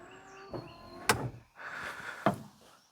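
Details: 1999 Daewoo Matiz with a new washer pump and the rear hose refitted. A short electric whirr of about half a second between clicks, spinning up cleanly with no strain. The washer pump is working.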